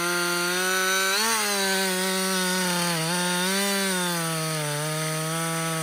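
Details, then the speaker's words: Husqvarna 562XP two-stroke chainsaw, back from the dealer after dying when hot and failing to start, now hot after long continuous cutting: strong steady high-revving note holding pitch with slight dips; normal running under load. "this saw that's the best it's ever ran it's the first time I put that much run time on it straight"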